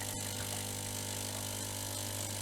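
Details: Delonghi Magnifica Smart ECAM250.23.SB espresso machine during a basic service, brewing a strong double espresso: a steady, even low hum with a faint rattle and no sputter or strain; the brewing pump runs normally.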